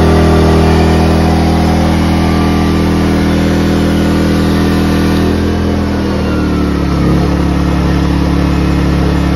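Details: Ryobi 2300W/1800W portable inverter generator after carburetor cleaning to cure idle surging: small engine hums evenly, then shifts pitch as load test is applied, holding steady without surging; now running smooth.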